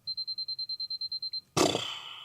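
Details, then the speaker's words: Canon AE-1 Program with busted battery door: about a dozen quick battery-check beeps, then shutter fired at 1/1000 s gives a dry drawn-out wheeze instead of a crisp snap, the "cough" from dry mirror-box gears needing lubrication. "Yeah, you can hear the cough. There it is. Has a minor case of bronchitis, but we're gonna Robitussin this up, go down to Houston real quick, get some syrup, and pour her in there."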